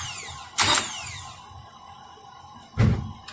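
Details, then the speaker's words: 2004 Nissan Altima 2.5L, warrantied replacement starter after sitting ~20 hours: two short harsh scraping bursts with no cranking; plunger fails to fully push pinion into flexplate ring gear. "So it's like it's starting up normal, and I guess for those who are familiar will understand you'll hear the scraping noise as if the pinion doesn't completely engage the flywheel."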